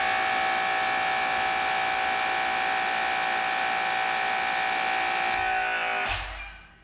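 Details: Dewalt 2400psi electric pressure washer on the 25 degree nozzle: steady even buzzing whine of motor and pump, dropping away quickly when the trigger lets off and pressure builds to 2400 psi; runs healthy.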